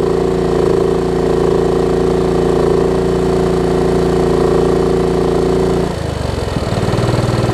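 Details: Craftsman LT1750 riding mower revived after mouse nest, run with air filter off and a fuel line leak: steady loud idle that won't pick up speed, then drops and wavers; won't throttle up, owner suspects missing air filter.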